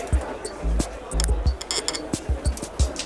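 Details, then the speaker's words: Bicycle in stand with newly installed carbon crank arm creaking: irregular low clunks and clicks as crank is rocked; crank found loose, not torqued, with very little grease; crank arm removed and regreased. "he had just installed a new carbon crank arm and was suddenly getting some creaking while riding a bike in the stand let's see what we've got for oh that's pretty loose let's listen"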